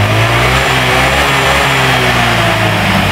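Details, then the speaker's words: Old Honda Vario scooter revving with the stator (spul) socket unplugged: pulls cleanly with steady even drone, normal throttle; stutter returns when the socket is reconnected. "jadi di saat saya buka Seul ini teman-teman ya di saat saya buka soket Seul ternyata gasnya motor ini normal"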